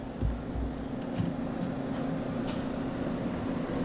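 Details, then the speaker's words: Range Rover Sport Hybrid with an aftermarket Audison/Focal Utopia audio system: a quiet, even hum in the boot from four cooling fans on the amp rack. The fans are triggered by the amplifiers and switch off with the car. Normal operation. "You can probably hear that quiet hum in the background, and that'll be these"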